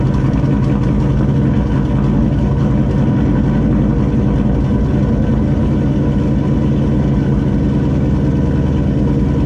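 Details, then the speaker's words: GMC truck with newly installed Turbonetics 78/75 ball-bearing turbo and meth injection, first start at idle with intercooler cold side unconnected: even, steady low rumble, no whistle, rattle or miss, no oil leaks; normal idle. "Fired up. Everything seems to be good so far. No oil leaks. Everything sounds normal, sounds quiet."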